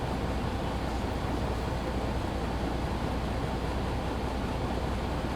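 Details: Truck during a pre-trip air brake check, engine held under 1500 rpm: a steady, even low rumble with no knocks while the air compressor builds pressure toward governor cut-out.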